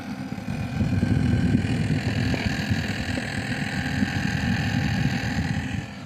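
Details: Rise Mode 240mm RGB/ARGB AIO water cooler about 3 months old, pump set to 12 V always on in BIOS, fluid never changed: at power-on a steady low drone over fan whoosh that has grown louder over two months, pump droning, cause unclear.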